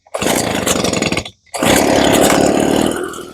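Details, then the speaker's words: Two-stroke needing no repair, hard restart after running: a short pull and brief pause, then it fires quickly and holds a clean, steady buzz; starts reasonably quickly. Only a cracked handle is noted. "It it it runs uh starts reasonably quic"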